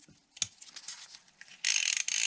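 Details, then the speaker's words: Antique vintage fishing reel after cleaning, greasing and oiling: a few handling clicks, then a fast, even, high-pitched click-pawl ratchet buzz as the spool spins freely; turns smoothly. "well it's working good I think it's getting looser I don't want to loosen these up too much"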